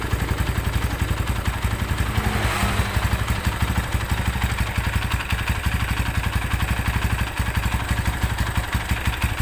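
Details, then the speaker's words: Tiger Evo motorcycle idling with a rough clutch: steady low thrum with a loose, uneven clatter about three knocks a second from the clutch cover area; clutch noise worsens when the clutch is pulled. "Oke ee di sini suara e koplingnya bukannya adem kalau di kopling malah makin kakak gitu kemudian dari area silinder kopnya ini terdengar suara keletak gitu"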